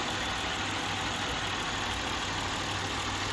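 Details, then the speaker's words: 2007 Buick LaCrosse 3.8 idling while EGR valve is commanded open to 10% (1.2 V), then 20% (1.5–1.6 V); low thrum wavers, idle grows rougher as excess exhaust gas recirculates. "so under 10% you hear the idle's a little bit more rough cuz that EGR is opening up right now at 10% we have 1.2 volts we're going to go up to uh 20% here it's running even more rough"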